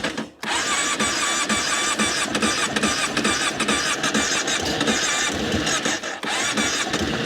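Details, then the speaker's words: Seized choke so carburetor blocked by hand to draw fuel: brief crank, then catches and settles into an even busy idle with sharp rapid exhaust beat; starts and runs normally. "She's a runner."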